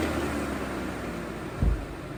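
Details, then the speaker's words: 2016 Ram Promaster City, radiator fan rewired through the rear power outlet to run whenever the ignition is on; a steady airy fan rush over a low engine idle, cooling fan working normally. "Now there you have it. The fan kicks on whenever the engine is on. Actually, whenever it's switched to on, and the fan will start moving."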